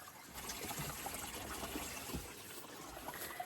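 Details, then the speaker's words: Mini jet boat on a remote river: steady, arrhythmic trickling and splashing as water pours into the hull from an unknown source; bilge pumps expected to keep up. Water leaking into hull, cause not confirmed. "coming in from somewhere. That's okay. I've got bilge pumps. Luckily, I think I can pump the water out quicker than it comes in."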